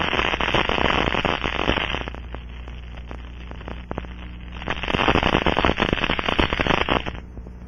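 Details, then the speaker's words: Ultraprobe 2000 ultrasonic detector scanning a pressurized aircraft fuel cell coated with liquid leak amplifier: dense irregular crackling of bubbles collapsing over a very small leak; small fuel cell leak. "it forms bubbles that will collapse creating ultrasound detectable with the scanning"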